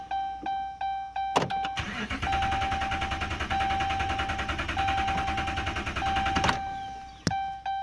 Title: 2011 Ram 2500 Hemi won't start..sick of this